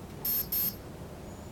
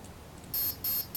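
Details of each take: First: Align T-Rex 500 BEC speed controller in setup mode, high-pitched paired beeps then a steady tone, cycling to the second menu item, timing set to mid. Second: Align T-Rex 500 3G flybarless helicopter, BEC speed controller in programming mode at option 4, aircraft type: three clean high beeps, each about a fifth of a second and evenly spaced, before setting helicopter 1 soft start.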